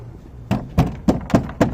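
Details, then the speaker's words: Renault Kwid 1.0 hatchback, door tapped by hand before door damping repair: six dull hollow thuds about three per second, each trailing a loose buzzy rattle; something inside the door is loose or broken, cause not yet found. "आप क्या आप मुझे सुन सकते हैं? भीतर से बहुत कुछ अजीब आवाज आ रहा। मुझें नहीं पता। क्या टूटा हुआ है या क्या हिल रहा है, इसलिए अब इसे खोलिए।"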